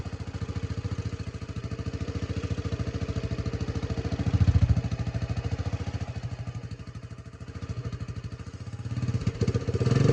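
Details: 1984 Honda 200M barn find, after replacing many parts and fitting a new fuel line and filter: single-cylinder thumping about three and a half beats a second, rising slightly with throttle, steady without misses; runs well again.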